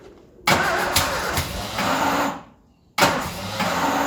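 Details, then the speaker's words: Ford Escort revived after 14 years neglected fires on starting spray: two short ragged bursts that fade out; runs only on spray because of a fuel supply failure. Not healthy, but fires up. "There we go, she fires up. She's not healthy, but she fires up."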